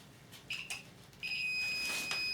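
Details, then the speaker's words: VW camper with swapped-in TDI engine, readied for first cranking after fitting dual mass flywheel: continuity tester on the oil pressure switch gives a couple of chirps then a steady high beep; switch closed, no oil pressure yet. "so what we do is when we crank over this engine that should stop the beeping"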